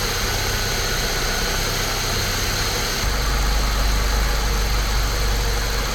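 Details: Saab 9-3 Turbo, believed 2005, which had a slight misfire; after spark plug and coil work, recorded from the top of the engine. Deep, steady idle pulsing about four times a second with no stumble or misfire beat. Normal idle.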